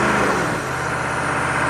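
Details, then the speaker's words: Chevy 6.5 turbo diesel truck with suspected PCM over-fueling via the fuel control solenoid, in park: on a barely-touched throttle blip revs jump and hang high before slowly easing back to about 2,000 rpm. "I mean I'm just barely touching the accelerator like this see it hangs and then comes [Music] back okay back to 2000"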